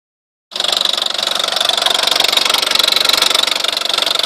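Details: VW Scirocco 1.4 TSI petrol engine running with a fast, bright metallic ticking and rattle: abnormal engine noise, cause unknown.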